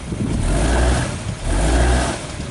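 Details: Car shifted into forward and reverse during a chassis-ear/oscilloscope test for a customer's knocking complaint: low engine rumble swells twice with no knock or clunk; the cause turned out to be a bad axle at the CV joint.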